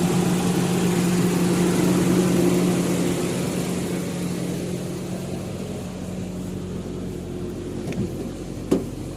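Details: Toyota Revo 7K engine with a severe, unstable idle, non-working AC idle-up and hard starting: low idle with a slightly uneven beat and revs sagging over several seconds.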